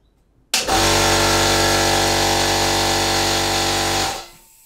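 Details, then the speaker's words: Compressed air engine, first pressurization from compressor: sudden loud steady hiss for about three seconds then dies; air leaking from several places, suspected at the connector and slightly from the cylinder top gasket. "so it's leaking out of quite a few places I'm not sure exactly what to do about that I actually think it's leaking out of the connector yeah I can hear that"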